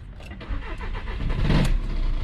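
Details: Volkswagen diesel car, bonnet open, engine started: heavy rough clattering rises as engine fires and settles toward idle, very loud knocking-type noise; dual mass flywheel rattle from worn flywheel.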